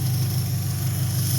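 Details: 2003 Dodge Neon 2.0, after the failed MSD coil (about 2 years old) was replaced with the original coil. A steady, even low idle with no stumbles; all cylinders firing, misfire fixed.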